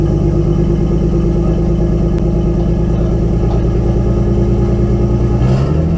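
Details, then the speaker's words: RB20DET inline-six in a 240SX S13, after replacing all six ignition coils and slightly adjusting idle: uneven, loping idle with a pulse that keeps dropping out, still missing on one cylinder; coils apparently not the cause; engine misfire. "So, yeah, it still misfires. So I'm going to have to take the cover back off and try and see what's going on with it."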